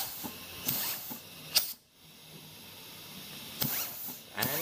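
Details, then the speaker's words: 200-R4 overdrive automatic transmission being rebuilt for a 1932 Ford, bench air pressure check: hissing air bursts with a sharp clunk on each apply, then quiet; clutch piston applies and releases normally. "it's working. You can hear it going clunk, clunk, back and forth, on and off."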